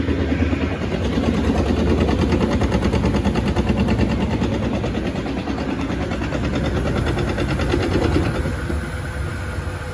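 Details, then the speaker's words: Floor sweeper main broom housing: rough, uneven thumping about three times a second over the motor and brush noise, coming from the main broom in front of the rear tire; drive pulley sloppy on the motor shaft key and belt drifting. "it sounds like the front brushes are doing okay and everything's just coming from the main broom assembly uh down here in front of the rear tire"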